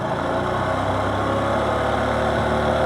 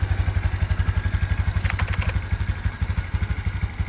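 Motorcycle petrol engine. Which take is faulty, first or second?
first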